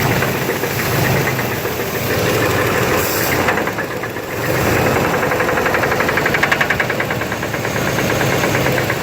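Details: 1991 Chevy S-10 V6, just bought, idling: uneven knock about four a second over the engine; owner unsure if flywheel or engine, source not found.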